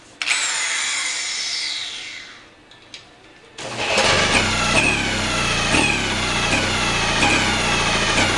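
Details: 1937 Johnson KA-37 9.3 hp outboard with new rings, good magneto (swapped with a running KS-14) and acceptable compression: repeated cranking with uneven chuffing that never catches; won't start, owner suspects rotary-valve crankshaft center rings not sealing.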